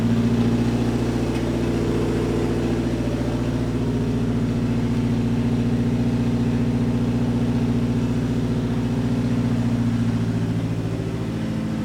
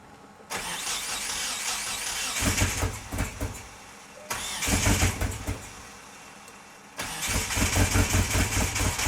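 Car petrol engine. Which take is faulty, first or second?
second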